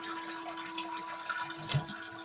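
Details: Toilet cistern refilling after a flush gives a steady mid-pitched hum over rushing water from a worn fill valve; the fix is replacing the fill valve assembly.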